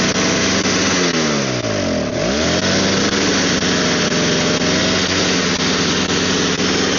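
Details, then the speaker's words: Snow blower small engine whose idle screws vibrate out of adjustment and which smokes a lot. It bogs, sags sharply, then claws back unevenly, only staying running on the primer bulb; owner suspects the carburetor needs cleaning. "then it only runs if you prime bulb. So I'm assuming something in the carburetor needs cleaned."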